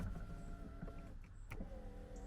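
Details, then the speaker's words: Long-neglected Porsche 924 project, ignition on: the electric window motor gives a low, strained hum for a couple of seconds; the window works but moves slowly. "oh they're pretty slow but they work"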